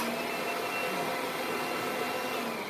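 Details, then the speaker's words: Vacuum (G3/G5-family motor design) on carpet: only a steady high motor roar with no beating brush thrum; suction lifts the carpet but the brush roll isn't driven, so carpet isn't vibrating. "can hear that you can see the suction is picking up the carpet, but it's not vibrating the carpet."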